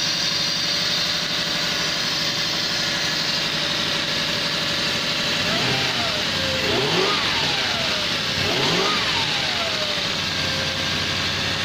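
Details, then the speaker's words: Lexus LS400 V8 after replacing noisy auxiliary belt tensioner and idler pulley, plus new spark plugs, air filter refitted: even idle, couple of throttle blips rise and settle cleanly, no chirp or squeal from belt area; healthy. "things quiet from the Belt area so there you go it's taken days but we finally got there and I finally got the M Lexus working again good grief the air filter back on it's nice and quiet again"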